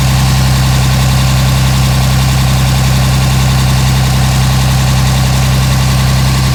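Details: 2007 Dodge Ram 5.9 Cummins diesel, loud low idle with steady thumping pulse around 160 a minute and slightly lumpy beat; rough idle for a month. Intermittent fuel rail pressure sensor, MAP sensor and overboost codes (no boost fooler fitted); owner queries blow-by.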